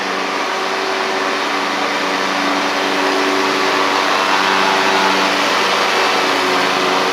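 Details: Ferris stand-on mower with Briggs OHV twin, after fixing one-cylinder running caused by a loose intake pushrod guide bolt that threw the pushrod off; pushrod refitted, valve gap correct. Steady even drone at one speed, no misses; both cylinders running cleanly.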